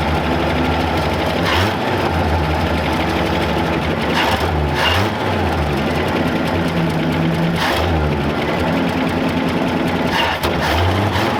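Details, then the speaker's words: 1966 Chevy C10 parts truck, parked for an unknown time: the V8 now holds a steady rumbling idle with gentle revs after charging the weak battery. "all righty now that we've got it running we're going to go ahead"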